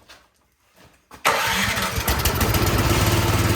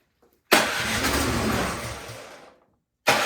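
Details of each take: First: Troy-Bilt snowblower that would not start, after carburetor cleaning: primed, key in, engine catches quickly and settles into a steady, even small-engine run with no misses or knocks; normal start and idle. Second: Troy-Bilt snowblower that would not start, gas and oil checked, choked, key in run, primed, electric start: engine catches sharply, runs about two seconds, fades out and is cranked again; firing then dying points to a dirty carburetor.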